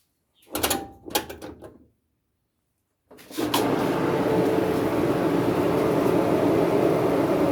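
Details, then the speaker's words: Kenmore dryer with a squeaky noise, door switch bypassed to run it with vent housing and lid removed: a couple of clicks, then an even, steady motor hum with no squeal or grind; motor healthy, drum wheels to be replaced next. "And I just did that to hear if I had a problem with the motor. But since I don't, I can go ahead and remove remove this."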